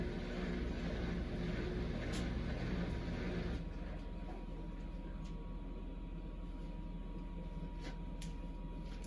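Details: Samsung Eco Bubble WD106UHSAWQ washer-dryer drying a blanket on the 2-hour timed dry cycle, with the panel stuck showing 1 minute remaining: low steady hum, faint constant tone, soft tumbling, then quieter; normal drying cycle.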